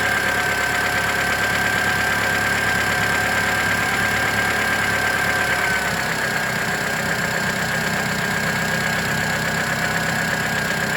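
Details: 2008 Mitsubishi Lancer at idle: quick light ticking keeping time with each engine revolution, not each cylinder firing, from the belt side of the engine; owner first suspected an exhaust leak and has no idea of the cause.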